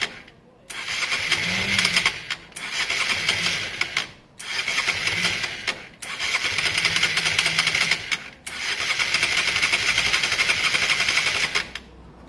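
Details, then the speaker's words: Honda Varadero 125 on its stand with choke, being diagnosed for a spark problem, carbs holding a small amount of fuel: about five bursts of steady starter cranking, engine never catches. "I'm just going to turn it over I'm not going to force it and we'll just see if we hear anything at all"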